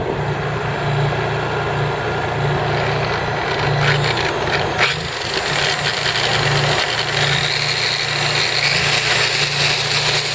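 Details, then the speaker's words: Honda EU3000is inverter generator (new) running in eco mode with no load; steady, even drone with no knocks, misses or surging, very quiet normal running. "See that? That's in eco mode with no load. Crazy quiet."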